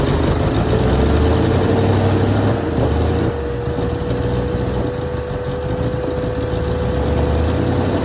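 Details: 1980 Mercedes 450SL, first start after a new fuel pump and a long time sitting, no leaks: runs rough at first, idle hunting slightly up and down with a faint steady whistle over the rumble; uneven idle.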